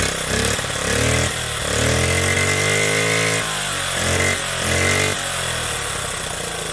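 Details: Honda Z50, first start, completely cold, no choke, chain off: small single catches on the kick, revs unevenly up and down, then keeps running without dying; normal cold start.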